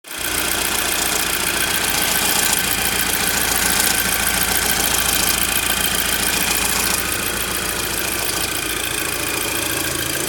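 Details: Audi TT petrol engine at idle with a busy metallic rattle from a worn timing chain and tensioner; cam chain and tensioner were replaced afterwards and all is fine now.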